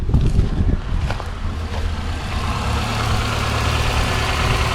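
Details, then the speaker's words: 2013–2019 Nissan Sentra 1.8L at idle with charging under 14 volts, alternator suspected; turning on headlights adds load and idle sags, rumbling unevenly near stalling but recovers; rough idle near stall. "I'm going to turn the uh car is about to die hold on"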